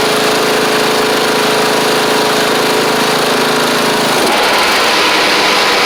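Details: Troy-Bilt Pony riding mower with replacement engine and new head gasket, slight smoke at startup: steady buzzing single-cylinder at fast idle, then note drops and roughens near the end; running fine overall.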